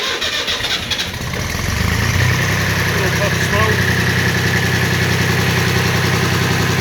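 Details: 2007 Farm Pro 2425 (Jinma-built), 25 hp 4WD diesel tractor, started in July after preheating the glow coils: starter cranks briefly, then the engine catches and settles into an even, steady clatter at about 200 beats a minute; normal start.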